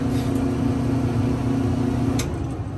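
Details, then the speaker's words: Clothes dryer reassembled after WD-40 was put on the drum pulley and the door switch and drum were refitted: the motor runs with a steady, even hum and low rumble, no knocks or scraping. Normal running. "all right so now that it's working everything is good all right this motor is working"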